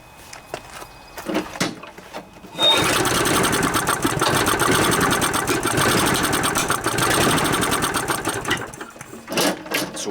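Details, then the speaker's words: Scotts mower with Briggs & Stratton 6.5 hp OHV Intek Edge engine, sat outside over winter, sprayed with starting fluid into the carburetor throat: ragged sputtering run for several seconds then dies; engine good, carburetor plugged. "that tells me is this engines good we just have a plugged up carburetor which is usually the case after a lawnmower sits for so long"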